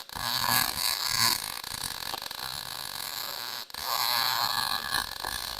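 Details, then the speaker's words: Lincoln 140 Pro-MIG, 110 V welder, after liner troubleshooting, with drive-roll tension set to six and wire speed turned up slightly: crisp, steady frying-bacon crackle through the bead with a short break; normal MIG arc, welding decently. "sounded good you could hear it it sort of like sounded like fried bacon so um it actually seems to be welling pretty decent for being a 110 machine"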